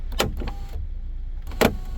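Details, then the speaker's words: Kia/Hyundai panoramic sunroof glass stuck partially open; heard at the rear glass motor, which cracks and skips while trying to close and reverse, sharp cracking clicks over low motor hum; sunroof glass drive skipping, motor and rods removed for inspection. "try to close it you can hear how it's cracking and feels like it's skipping feet so let's go ahead and take this one down try you can hear it yourself so it's definitely skipping the me trying to reverse"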